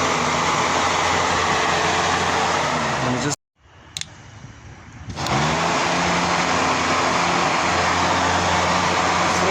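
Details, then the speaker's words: Opel Kadett radiator fan, removed and wired straight to the battery to test why the fan wouldn't come on. Steady airy whoosh that cuts out briefly, then spins back up smoothly with no grinding. Fan motor works normally; fan switch or wiring is still suspected. "So done a straight connection to the battery and definitely works as you can hear."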